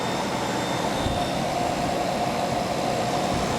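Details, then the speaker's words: Samsung 5,000 BTU window AC (about 2000, R-22 rotary compressor) after repairing corroded capacitor power wire: running cooling, smooth quiet hum with faint steady tone, no knock or rattle; rotary sounds brand new. "Yeah, the rotary sounds good. The rotary sounds like it's brand new. Very quiet."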